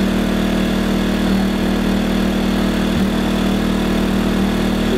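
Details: New WEN 2000-watt inverter generator on its first run after unboxing, still burning off a slight smell. It gives a steady, even drone at constant speed with no knocks or surging. It sounds healthy and smooth.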